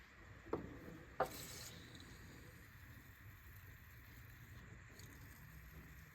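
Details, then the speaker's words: 2011 Ford Explorer front strut coil spring still gives two dull knocks while turning after a WD40 soak. It is softer than before but still there, with the spring catching and binding. Planned fix: a new strut assembly. "all right well it muffled a little bit still there we're going to end up getting a whole new strad assembly for this thing that's right should fix it right up"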